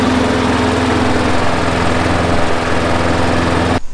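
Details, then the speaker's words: Craftsman 21" push mower, Briggs & Stratton 6.75, after a new spark plug and air filter, about 20 minutes of running: steady, even drone with no stumbles or surging; healthy and settled. "it's already running better i just let it sit here and run for 20 minutes and the longer it runs the better it gets"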